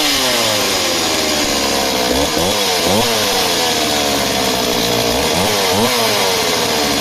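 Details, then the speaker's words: Stihl MS260 project chainsaw, two-stroke, about 48cc: blips up and down from a buzzy idle, unsettled at low revs. Top end great; owner suspects it is leaning out low down. Fuel pickup and pipe appear fine, cause unconfirmed. "she definitely sounds like she leans out it's a great top end low down she's she sounds like she's leaning out"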